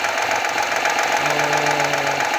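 Fast, regular metallic ticking-knock over a cold idle that stays evenly spaced with engine speed; a cold-start knock from inside the engine.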